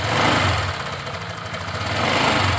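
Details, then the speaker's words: Honda Vario 125 New scooter, nearly new, with a rough sound at idle and when the throttle is released: a light, fast tek-tek ticking. The mechanic suspects low pressure from the cam chain tensioner lifter; not confirmed. "Kali ini kami kedatangan Vario 125 New ini suaranya kasar ya saat stasioner dan gas dilepas seperti ini ya teman-teman suaranya"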